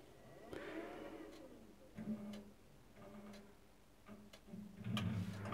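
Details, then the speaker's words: Gas combi boiler powered by a 200 W, 240 Wh lithium power bank inverter: a few soft ignition clicks, then a steady low fan and pump hum settles in. Startup briefly peaked at 400 W, then settled; the boiler lights and runs normally. "can hear the boiler starting up so there is our boiler running"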